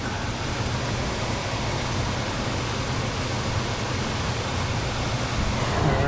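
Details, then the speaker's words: HVAC air handler blower after a blower relay replacement: steady, even rush of air with no more buzzing, much quieter, and it shuts off properly; faulty relay had caused high humidity and utility bills. "obviously there's no more buzzing much quieter and it shuts off"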